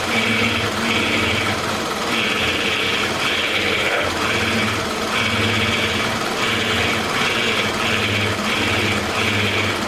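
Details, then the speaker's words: 2006 Toyota Camry 2.4L, replacement for a knocking high-mileage engine, first run after swap: steady, even running with a regular pulsing note, no knock or rattle, no leaks underneath; brief initial rattle blamed on oil still circulating; sounds healthy. "so far sounds good [Music] there's no leaks up under it"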